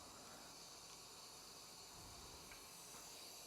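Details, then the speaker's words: iSpring 3-stage whole house water filter after filter change: valve opened slowly to repressurize, steady even hiss of water filling the sediment filter housing first; normal. "So I'm just going to turn this one on slowly. You should hear it start to fill."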